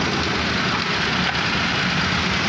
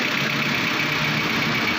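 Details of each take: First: Suzuki Cultus after tappet adjustment, spark plug, carburetor and points check; it runs at a steady, even idle with no misses or tapping: normal idle. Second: 2015 Suzuki Cultus at idle, also with poor pickup and high fuel consumption. A busy, light, sharp top-end clatter rides over the running: noisy valve tappets.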